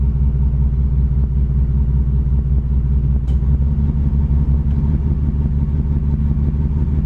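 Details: 1987 Chevrolet Cavalier RS convertible V6 at idle, owner has replaced everything yet it won't smooth out: low uneven rumble with irregular pulses, no steady beat; rough idle, cause not yet found.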